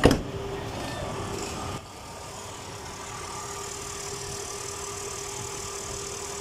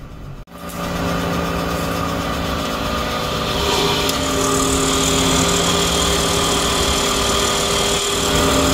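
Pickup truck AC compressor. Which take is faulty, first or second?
second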